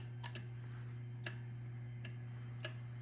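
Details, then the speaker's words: Drake L4B linear amplifier with ES4L-4B-v1.0 soft-start board on 110 V, high voltage not connected; crisp single antenna relay clicks, about five in three seconds, over steady mains hum, keying in and out properly. "antenna relay not clicking so hard though no it's clicking"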